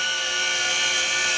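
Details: CycleOps Fluid2 bike trainer, two years old, pedalled in the big ring: loud, steady high-pitched layered whine seeming to come from the roller, noisy for over a year; tightening the bolt and roller didn't help; road slick tyre fitted.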